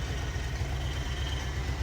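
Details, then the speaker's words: School bus with newly fitted power steering, pump at idle after running a while; even low idle rumble with no steady whine, pump only whines slightly when steering is turned — normal power steering pump at idle. "all right so actually after running for a bit that pup quit it's whining it only does it a little bit when you turn other than"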